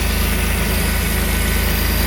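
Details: 1988 Pontiac Fiero Formula 2.8L V6 at idle: slightly uneven, faintly pulsing beat, sound louder around or under the throttle body, with performance loss. Vacuum leak suspected, but spraying propane around it did not change the idle. Rough idle, cause unconfirmed.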